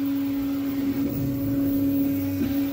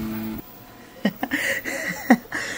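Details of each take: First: Creality K1 Max 3D printer after raising velocity/acceleration settings in Fluidd: steady motor tone with short pitch dips at direction changes, smooth motion, no vibration at the corner; corners start rounding out. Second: Creality K1 Max 3D printer, first-layer adhesion test: uneven motor whir bursts at one corner and the back corner, head vibrating, ringing visible in print; owner suspects a poor-quality motor at the back.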